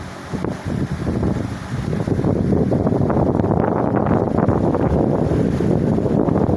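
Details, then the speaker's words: 1979 Cirrus 70 cm metal pedestal fan (150 W, 110 V, 4 µF capacitor, heavy blade) at maximum speed: steady rushing airflow over a mild hum, with no knocking or rubbing. Slight running noise, but it moves air very well. "Já na máxima ele faz aí um pouquinho do ruído. Porém ele venta super bem."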